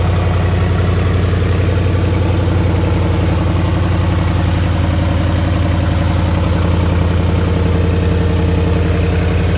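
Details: 2008 Ford Mustang GT 4.6L V8 at idle: a loud, sharp, fast ticking rides over the deep, steady rumble; the cause is undiagnosed and the owner is asking for help.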